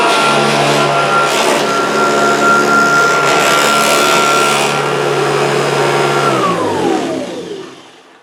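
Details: Kirby upright vacuum: steady high motor whine with a loose rattle underneath, then winding down after switch-off; owner suspects the fan or an incorrectly fitted agitator, unconfirmed.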